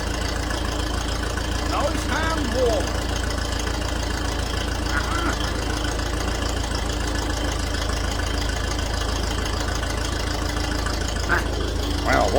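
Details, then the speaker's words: Old grey Ferguson (Fergie) tractor, first start after years sitting in a field; low unhurried even idle without knock or misfire, a little smoke, running smoothly. "yeah all oh yeah isn't she running and don't she run like a Swiss watch"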